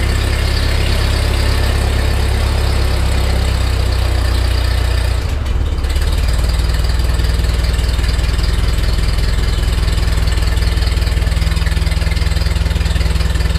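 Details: 1948 Ford 8N tractor, first start after complete engine rebuild, neutral, choke, slight throttle: steady even low idle, smooth regular beat, no knocks or misses; oil pressure gauge pegged, foot throttle works, normal idle.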